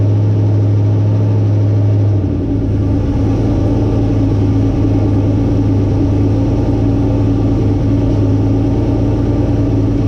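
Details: Turbo LQ9 V8 in a 240SX, first start after rebuild and reinstall, oil pressure confirmed; engine catches after a short crank and settles into a steady even idle with a deep low rumble, no knocks or rattles; normal idle.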